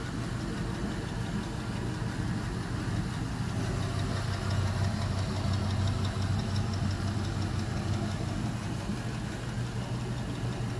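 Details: LM7 5.3L iron-block V8, 862 heads, 151k miles: idle at 153°F, MAP 31 kPa, O2 sensors switching, long-term fuel trims 1–2; steady even beat, no knocks or misses; normal idle.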